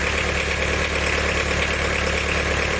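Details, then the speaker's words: Diesel after valve stem seal and head gasket work; a camshaft bearing bolt snapped, leaving the middle bearing held by one bolt. Harsh metallic clatter over a rough idle, louder up top: camshaft bearing knock (knocking injector doubted). "definitely sounds like metals running around in there but it is funny"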